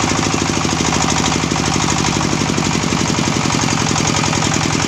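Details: Sharp ZS1115 24 hp single-cylinder diesel after hand-crank start: steady, even thumping at a constant fast rate with no knocks or misses. Normal running.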